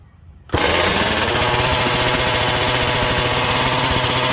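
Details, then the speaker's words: MCD XR5 71cc after repairs (kill switch, engine mounts, gas tank): fires instantly, loud steady even buzz at constant revs, no misses or sag, until it runs out of fuel; normal running. "yeah she's out of gas guys but i am happy happy with the performance"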